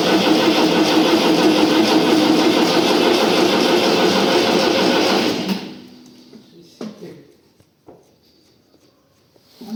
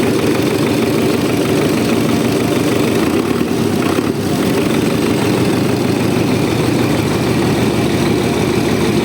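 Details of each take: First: Diesel tractor, first start after an engine rebuild, cranks steadily at about three beats a second for five seconds without catching because the diesel fuel hasn't bled through the lines yet; the starter is also now faulty. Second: Tractor diesel just after rebuild, still cold, oil pressure about 4, no smoke: steady, even idle with no knocks, misses or surging, no strong vibration; normal idle, minor fuel seep and air-leaking hose noted.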